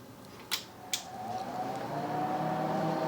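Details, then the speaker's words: TDI Dynaload RBL 100-300-2000 2000 W electronic load, firmware 2.25, reassembled after full teardown and cleaning: two sharp clicks at power-on, then smooth whir rising in pitch as the fans spin up and settle; healthy power-up. "That start up. Probably hear that other fan kicking in. So, fans are runni"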